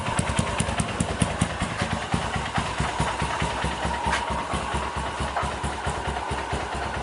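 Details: 2010 Honda Mega Pro carburetor bike, freshly built with a BRT 198cc bore-up kit: an even, steady single-cylinder beat with no knocks or rattles, sounding healthy.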